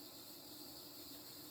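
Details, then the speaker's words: 36-inch View Fan industrial ceiling fan from the mid-to-late 1980s with a 5-speed wall control, estimated around 260 rpm at top speed: steady high hiss over a faint motor hum, worsening with speed; cheap bearings hissing. "the bearing noise only gets worse the faster the fan goes of course"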